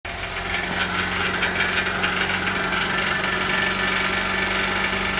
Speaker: so that is a rattling heat shield so the first step is to figure out what's rattling